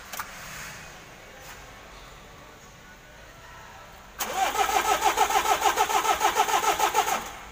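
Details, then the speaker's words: Mitsubishi L300 diesel, hard to start in the morning or when cold, lacking power and running rough: slow, even starter cranking with no firing; compression test shows cylinders 3 and 4 below standard, engine needs an overhaul. "kalau dia dicopot bahwa lentingnya kompresinya sudah kurang dan ini sudah minta sih bongkar mesin"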